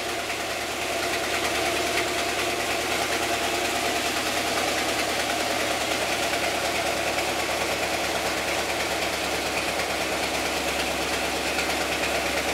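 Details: Stock 1992 EFI Ford 460 big block truck on A9P mass-air EEC, cold start at about 102–105°F ambient, data logging: loud steady hiss, idle speed rising slightly; surging idle, at worst 500–900 rpm, random, improved but not fully fixed.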